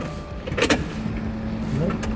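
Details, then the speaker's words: 2015 Subaru WRX, warm, restarted after fuel pump and filter replacement (relay fuse previously blew on restart): short even electric hum at key-on, no clicks or stutter; fuel pump primes normally, fault fixed. "Now the real test, I'm gonna turn it off and start it again, and usually by now the fuel pump relay fuse has blown, so let's test it out."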